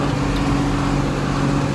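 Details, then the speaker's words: John Deere 4755 side-exhaust tractor, driven on the road after a complete Powershift transmission rebuild and steering motor leak repair: deep, steady diesel growl, no knocks or grinding; normal running. "Where else can you hear a noise like this? She certainly growls. I don't know if it comes across very well on the video, but it's pretty pleasing."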